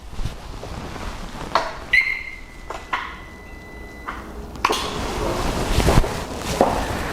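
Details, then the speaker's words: Harley-Davidson Road Glide after flashing a new custom tune. Ignition and run/stop switch are turned back on after a 20-second wait; a couple of clicks, then a thin steady whine for about two seconds as the fuel pump primes normally. "you can hear that fuel pump fired up."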